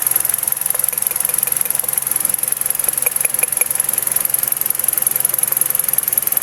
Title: BAD IGNITION COIL | MISFIRE #automobile #diy